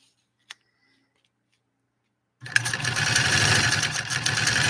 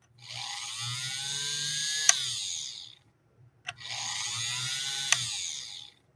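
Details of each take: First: 3/4-size Singer 128 vintage sewing machine after motor reinstalled: silence, then fast even whir that keeps running steadily with foot off the pedal; motor runs on when it should stop, cause not confirmed. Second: 3/4-size Singer 128 vintage sewing machine, light checked then motor briefly fired up after rewiring: two short runs of high, smooth, steady-pitch whirr starting and stopping cleanly; motor roaring to life and operating properly.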